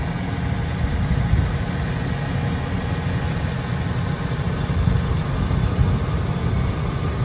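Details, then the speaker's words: 2003 GMC Sierra Denali with Quadrasteer, all stock, about 20 years old, at idle: smooth, steady low rumble with no ticking, knocking or pinging; healthy engine. "hopefully you can hear the engine there's nothing abnormal no knocking no pinging everything sounds the way it should which is exactly what you're looking for when you're buying a a truck of the this kind of model year 2003"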